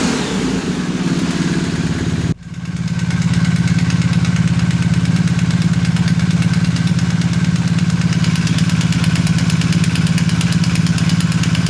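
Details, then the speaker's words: 2020 BMW R1250R after the left-cylinder timing chain tensioner was replaced with the updated longer 2023+ (19mm) type, torqued to 32 Nm: engine settles into a steady, even beat; the ticking is gone. "Let's listen to the sound now. What? It's worked. So the ticking sound is gone. No more."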